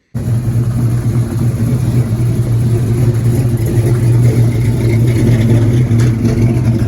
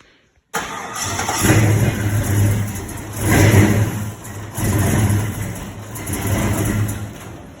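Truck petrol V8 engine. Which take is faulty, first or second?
second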